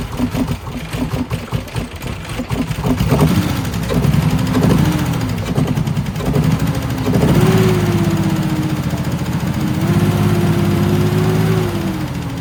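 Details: Nissan 300ZX Z31 after fuel pump replacement, first start: even cranking for a few seconds, then catches and settles into a steady idle with light revs; starts and runs normally.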